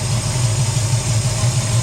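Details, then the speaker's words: V8 after distributor failure sorted and ignition timing set with advance around 20: smooth, even low burble, steady beat, no stumble or miss; normal healthy idle. "That's pretty happy, Rod. Pretty happy? I reckon. With the advance on? Yeah, so that's spot on, I reckon."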